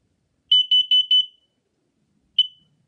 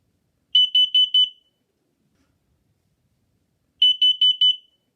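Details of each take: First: Push test button. Fire. Fire. Warning, carbon monoxide. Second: That being said, a carbon monoxide alarm sound sounds like this.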